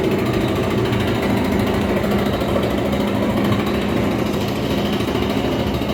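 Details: Whirlpool dryer running: harsh steady grinding with fast uneven rumble underneath; worn-out drum rollers found as the cause, fixed by replacing the roller kit.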